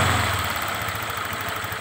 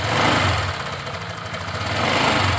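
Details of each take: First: Honda Vario 125 New scooter, previously rough with tek-tek ticking at idle and off-throttle: after the tensioner was extended about 2 mm with brass welding, it settles to a steady, even idle with no top-end ticking, then a sharp noise at the end. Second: Honda Vario 125 New scooter, nearly new, with a rough sound at idle and when the throttle is released: a light, fast tek-tek ticking. The mechanic suspects low pressure from the cam chain tensioner lifter; not confirmed.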